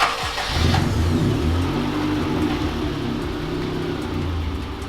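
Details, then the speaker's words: 2002–05 Honda Civic after idle air control valve replacement and coolant bleeding: cranks, catches quickly and settles into a fairly even idle. Previously died at idle and sputtered under load; now better but some problem remains. "sounds better let's give it a sec all right guys it's been idling for quite a while now"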